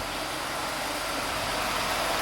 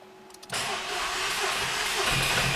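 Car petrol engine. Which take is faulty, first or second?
second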